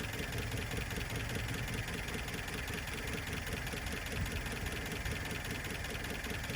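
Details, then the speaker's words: 1972 Plymouth Cricket engine after fitting a good carb and filing points, idling rough: ragged uneven beat with loose-sounding valves; owner suspects one or two tight valves causing backfiring and imbalance, some blow-by, unconfirmed. "it's a little rough now the valve sound loose you can hear them pretty good but i'm thinking that there's probably one or two of them in a little tight part of that might be the back firing through there but it's also the imbalance"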